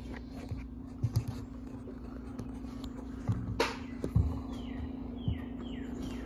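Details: 52" Harbor Breeze Lakeside II ceiling fan before restoration, runs only on low at all three speeds, downdraft: steady low hum at one pitch, fan stuck slow; bad, cracked, partly melted capacitor starving the motor.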